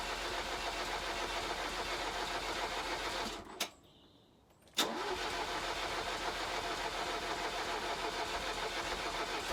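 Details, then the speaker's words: 1983 Ferrari 308 QV, weak battery, after tightening a leaking right-tank fuel connection: sluggish starter churn that never catches, pause, more lazy cranking; slow cranking, no start. "still nothing so I've just put a bit more fuel in the car"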